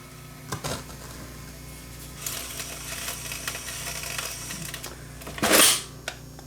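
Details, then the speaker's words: Vintage Viking SC5894 8-track cartridge recorder, first power-up before service: the motor hums and turns, but the tape drags with an uneven scraping rustle and a sharp clatter near the end. The old cartridge's tape is jammed. "It doesn't sound good. It actually sounds pretty bad."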